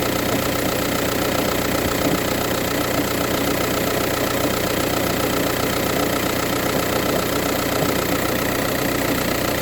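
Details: VW Touran 1.9 TDI diesel at cold idle: steady sharp knock about two or three per second over diesel clatter. Happens only in the morning, with no issues while driving or changing gears; cause unknown.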